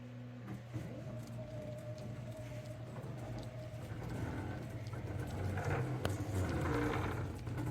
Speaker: to me it actually sounds like it got worse many of you will feel the same